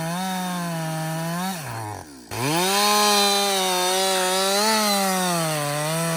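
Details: Husqvarna 562XP chainsaw, back from the shop after dealer reflashed its software for dying when hot and stumbling, about two-thirds of a tank in: strong steady scream sags slightly in the cut and recovers cleanly without bogging; running normally under load.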